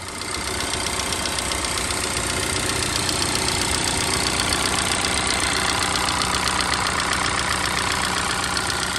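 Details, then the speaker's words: Car with evap leak, camshaft position timing and knock sensor codes, idling: sharp metallic clatter about four times a second, loud and steady, diesel-like lifter noise; sounds like worn timing chains needing replacement. "had my diag guy help me out sounds like it needs chains timing chains need to be done"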